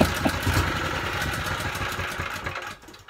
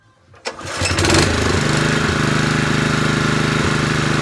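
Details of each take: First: Honda GX160 generator engine, 5.5 kW, on fuel with a little choke: small single-cylinder hunts and stumbles unevenly then dies away, too ropey to power a drill; rough running. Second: Honda GX160 5.5 kW generator after carburetor clean, main jet had been blocked, choke off: catches within a second of the pull, then a smooth, constant drone with no misses or surging; normal running.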